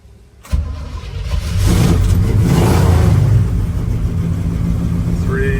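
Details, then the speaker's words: 1969 Chevrolet K10 4x4 with rebuilt 383 V8, Sniper fuel injection, headers, dual exhaust, 350 Turbo automatic: brief crank, quick catch and short rev, settles to a deep even idle, no knocks or misses; normal start. "We're going to start up our 69 Chevy C10 four-wheel drive. You can see the Sniper starting up."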